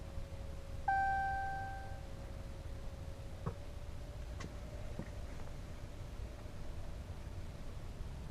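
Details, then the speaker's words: 2014 6.7 Cummins after installing CAT 1R-0750 fuel filter with new housing: key-on chime then steady electric hum for several seconds as the lift pump primes normally. "So anyways, let's go prime it and fire it up and see what happens. Can hear it priming."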